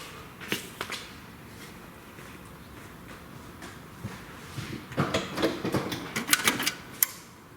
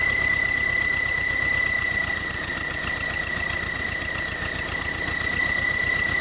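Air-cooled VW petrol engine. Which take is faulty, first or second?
second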